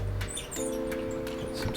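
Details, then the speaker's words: 1967 Schwinn Rams Horn Fastback barn bike before restoration: short high squeaks about three times a second as the crank turns, seriously dry crank bearings. "going on those are some seriously dry bearings"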